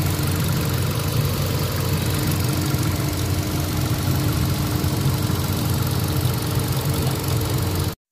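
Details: Hyundai Accent 1.4 gasoline engine after fixing misfire and vibration (P0300, P0301, P0302), listened at front of engine: even idle with steady low hum, no stumbles or shaking.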